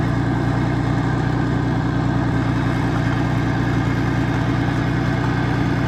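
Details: Old Mercruiser inline six sterndrive (1976 120hp or 1973 165hp) being winterized, running on water flush: steady, even low burble with a regular firing beat, no knocks, misses or rattles. Healthy idle.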